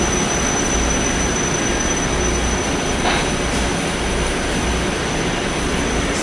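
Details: Haughton Type 601 DC gearless traction elevator machine, installed 1980s, 104 hp, 1200 FPM, very low RPM, recorded in machine room: smooth steady low hum with faint high whine, no knocking or scraping; normal running.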